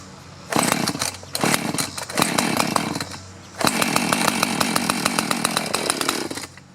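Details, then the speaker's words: Chainsaw (2-stroke) that sat over 5 years, just started on fresh fuel; crisp rapid firing revs up and drops back cleanly between blips; runs healthy; metering diaphragm possibly stiff. "How about that? After all those years, get some fresh fuel pushed through there."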